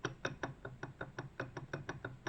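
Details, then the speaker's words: 1985 WSK 125 two-stroke engine, about 42,000 km, stripped: crisp metallic clacks about five per second as the bare connecting rod is rocked by hand; badly worn big-end bearing with heavy play, crankshaft the main culprit. "rozbierzemy i a głównym winowajcą był właśnie wał."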